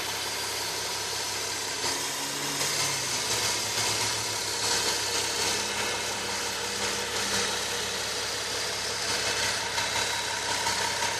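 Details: Nissan 370Z petrol engine at idle: steady high whine over a smooth idle, source not identified, owner asks for diagnosis.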